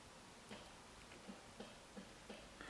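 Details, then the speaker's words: Toyota AE86 during interior restoration, headlight switch wires jiggled: sharp irregular relay clicks, about five in three seconds, in a quiet cabin as headlights flick on and off; owner suspects cracked solder on the switch circuit board. "you could see the headlights turning on and off hopefully you could hear the relay clicking on video"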